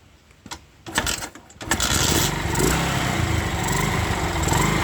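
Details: Honda Sonic 125 catches after a few clunks and idles steadily, even and clean, after fuel line replaced and extra fuel filter added, following a no-start three days after repair with new spark plug and carburetor; part left off to check for flooding.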